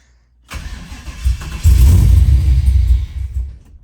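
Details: Trailblazer SS V8 first fire-up on a new cam with new intake and fuel system, startup tune way off: brief crank, fires and surges a couple of seconds, then fades and dies, running too lean and needing more air and fuel.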